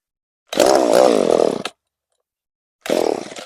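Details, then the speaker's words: Echo CS-3450 chainsaw after replacement aftermarket carburetor and new primer bulb, linkage sticking; two short full-throttle bursts warble and surge unevenly then cut out, owner thinks the high-speed mixture needs adjusting; rough running at high speed. "Well, might have to work on the high side a little bit."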